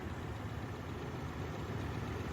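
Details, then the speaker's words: Forgotten 1979 Buick V8, first start in 20+ years after tank drained, new fuel pump and battery: steady, even low rumble with no knocks, misses or stumbles; normal idle. "here it is idling driving after one day of work"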